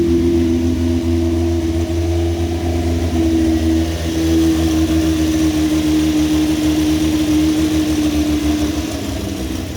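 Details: Toyota 1JZ engine in a van, first start after fitting upgraded head and 282 cams; loping, uneven choppy idle, rough but healthy: lumpy idle from the performance camshafts.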